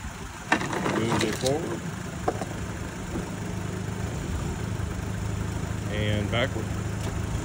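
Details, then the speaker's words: 2008 Nissan Altima, started with a jump, shifted into forward and backward: a low steady hum with no knocks, grinding or clunks, and the engine and drivetrain sound good. "backward it sounds really good on this one"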